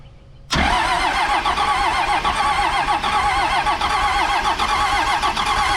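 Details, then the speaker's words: 1998 Dodge Ram second-gen Cummins diesel, engine being brought back to running: steady starter churn with even cranking pulses and no firing, cranked on purpose to build oil pressure; normal cranking without start. "so I'm going to crank it for a little while just to get just so I know I got oil I mean it ain't going to fire it up anyways so"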